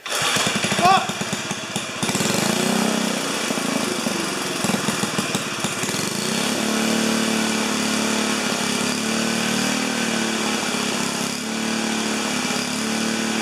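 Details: 4HP horizontal Briggs single-cylinder, first start, muffler screwed in temporarily: loud frantic high-pitched revving that never settles; runaway overspeed because governor wasn't connected to the throttle arm.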